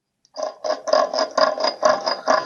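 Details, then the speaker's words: 90 lb T14 turbocharger from a 1964 Caterpillar D8H dozer (20.4L D342 diesel), shaft turned by hand: rough scraping grind in repeated bursts. Worn turbine-end bearings with shaft end play; the turbo kept spinning after engine shutdown. "right so that's the noise that you were hearing when you shut this thing off right the engine came to a halt the turbo kept going not good never want to hear that out of your turbo"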